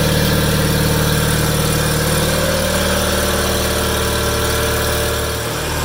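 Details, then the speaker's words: 1987 John Deere 318 tractor, 1200-hour Onan P218G twin (B48G oil pan and starter swapped in), after starter replacement and wiring fix, parked since December: smooth, even low drone with consistent pulse, no skips or rattles; idle smooth. "Idle's down good. Idle's pretty smooth."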